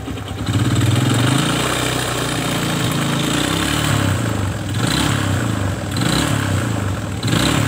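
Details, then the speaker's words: Kawasaki ZX motorcycle engine idling and blipping: deep, rough, uneven rattle inside the engine; cause not yet found, suspected loose timing chain or connecting rod and piston. "keluhan sepeda motor ini adalah di bagian mesin yang bersuara kasar entah itu bagian mana saya juga belum tahu ya"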